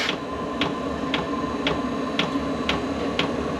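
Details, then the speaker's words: Vevor diesel air heater first test run on diesel, before install, starting at level 3: steady sharp dosing pump ticks about twice a second over low fan rush, growing as fuel reaches burner; normal startup. "it's heating up you can hear it ticking up getting louder and louder fuel's getting into burner getting ready to take off now it starts at three every time"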